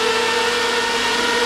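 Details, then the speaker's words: Crypto miner in a modular shed used as a heater, clocked to 500 MHz for about 1.1 kW: constant airy rush with steady mid-pitched whine, even; normal cooling fans at full speed. "initially spin up to full speed but then it will go on to um the faster rate and the fan will gradually creep up in speed"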